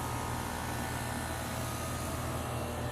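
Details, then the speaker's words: New replacement outdoor AC compressor with new junction box, Houston: low steady hum with even hiss, no rattle or buzz, inaudible indoors; runs quietly and normally. "a new junction box it's so quiet I can't hear it indoors or my room anymore peaceful and cold inside unless you made"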